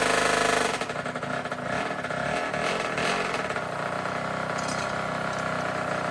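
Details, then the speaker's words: Tao Tao 110 mini quad with swapped-in Kawasaki KX60 two-stroke engine, first ride: revs then sags and stumbles when throttle applied; bog suspected from running very lean or an air leak, or possibly the carburetor, unconfirmed. "it sounds like it's running uh super super lean or it has like an air leak it's got a bog when I give it gas so there's probably some air leaking in somewhere um or it could just be the carburetor"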